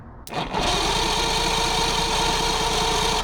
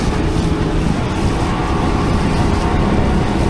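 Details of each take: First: Mercury 115hp outboard on a 1969 Thunderbird tri-hull boat cranking over after plugs reinstalled; prior compression readings 135 psi across the board, 140 on the bottom; steady, even chuff about four per second, no weak cylinder: normal cranking with even compression. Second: 1969 Thunderbird tri-hull boat, Mercury 115 hp outboard at full throttle on the river, rough and uneven with a cylinder dropping in and out, not hitting all six; owner suspects the fuel pump or a linkage issue.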